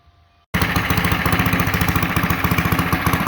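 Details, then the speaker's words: Coleman CT100U mini bike engine running on the governor: quick, even single-cylinder putter at steady speed, no misses or knocks; normal running. "This time around, we're going to leave the zip tie and run it with the governor."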